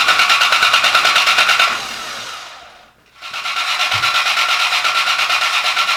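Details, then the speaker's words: Rebuilt wrecked Cobra engine's first start attempt, 55 psi fuel pressure: steady starter churning about three beats a second, pause, more cranking that never catches; distributor was out of time, fixed by pulling and resetting it, then fired right up. "we assumed that the distributor was in the right place but it was not so simple easy fix pull the distributor reset it put it back down and it immediately fired right up"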